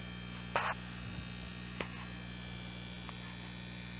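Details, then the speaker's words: Home-built tube amplifier on first power-up, tubes warming: a steady low buzzy mains hum rises with nothing played; the builder says he knows its source. "As it heats up, you're starting to hear a hum. I know where that's coming from."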